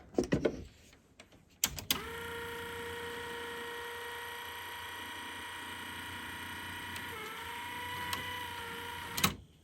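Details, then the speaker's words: Technics RS-M245X cassette deck (1983), door won't eject: thin steady motor whine sagging slightly in pitch with no mechanism action; the mode belt, driven off the reel motor, is slipping, and once it cycled the door opened. "okay that was the problem the uh the mode belt was slipping here it's driven off the real motor I guess which is weird"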